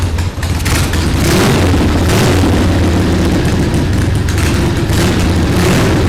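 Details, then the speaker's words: 1979 Harley-Davidson Ironhead Sportster XL1000, revived after 25+ years, on choke with idle turned up and carburettor not yet secured: loud, deep, uneven loping rumble that never settles, stumbling; suspected to be flooding. Rough running. "so I think we're kind of flooding it a little"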